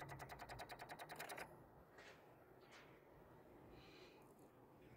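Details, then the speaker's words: Infiniti G35 sedan with recurring no-start and weak, draining battery. About nine quick even clicks a second from the engine bay, not from the battery. Possibly a relay chattering on low voltage; source unconfirmed. "oh no it's definitely coming from inside the engine bay it sounds like it's coming from it it honestly sounds like the sounds coming from like back there it's not coming from this box it's not actually coming from the battery"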